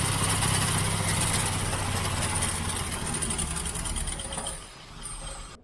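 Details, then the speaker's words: 1967 Mustang 390 V8 carburettor with fuel inlet problems, sticking float inlet needle suspected: rough, uneven running that sags and dies as the fuel bowl runs dry, bowl found empty despite fuel pressure; fuel starvation stumble. "so I pulled the fuel bowl off there was no fuel in the bowl at all I know I had fuel pressure here cuz it was sorting all over the place"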